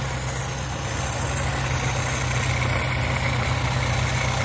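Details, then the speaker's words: Car started after about three months sitting in snow, carbureted, warmed up after a cold start: even quiet idle, steady low thrum at about four pulses a second, no knocks or misses; normal warm idle. "See, it's fine now. It's all warmed up, nice and quiet."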